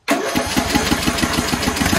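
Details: Craftsman LT1000 mower engine, sat unused for years, after installing a new carburetor (old needle suspected failed): catches at once and settles into a steady, even putter of about six beats a second, no misses; healthy.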